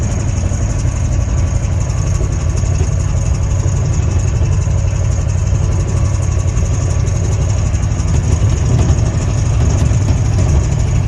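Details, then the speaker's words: Ford 351 Windsor V8 while driving: heavy rough rumble with uneven knocking, knocks above 1500 RPM, oil pressure fading to none, heavy smoke, timing somewhat advanced; engine blown. "that's how I know it's blowed up you can hear it rattling you know it's a little little far Advanced as well"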